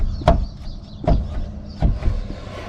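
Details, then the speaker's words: Chevy/GMC Silverado-type truck (99-07): dull, heavy clunks about every three-quarters of a second as the front wheel is rocked by hand. The clunking comes from blown, visibly flexing control arm bushings, found during a ball joint diagnosis. "actually now that I'm looking at it and hearing the clunk and the clunking is actually coming from these blown"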